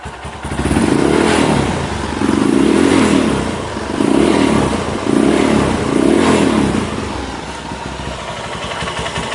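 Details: 2010 Honda Mega Pro carbureted single-cylinder bored up to 198 cc with a BRT kit, PJ 38 and MJ 120: five crisp throttle blips that rev freely and settle back cleanly with no rattle; healthy engine.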